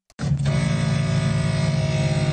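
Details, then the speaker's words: Brand-new Mercedes GLS power seat moving: steady, droning electric motor hum starting abruptly at even pitch, likened to a blood-pressure cuff pump; the seat motor runs noticeably loud. "Mercedes. Why does this seat move so loud? I can't stop thinking it sounds like that electric thing you use to check the blood pressure."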